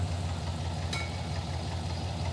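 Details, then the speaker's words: V8 listened to at the exhaust on one bank: low, lumpy idle with an uneven, missing beat; at least one dead cylinder, engine running on six cylinders; plug wires measured fine, plugs suspected. "Got at least one dead hole over here. Yeah. Yeah, this is not happy over here. Yeah, the engine doesn't run right. It's running on six cylinders."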